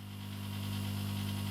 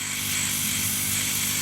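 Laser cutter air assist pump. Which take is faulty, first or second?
first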